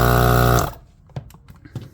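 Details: Ryobi 120 V 120 W inverter on an 18 V battery powering a 120 V tire inflator: steady buzzing motor hum with even pitch for about half a second before cutting off. The inflator runs normally.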